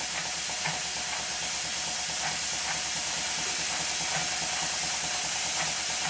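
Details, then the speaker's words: Minnie-type model traction engine test-run on compressed air, not steam, slightly rattly with gears engaged: soft regular exhaust chuffs under a constant loud hiss; the regulator doesn't close fully and air leaks near the cylinder. "there are two things wrong here that are immediately apparent one is the regulator does not close fully and the other is the constant air leak coming from somewhere near the cylinder"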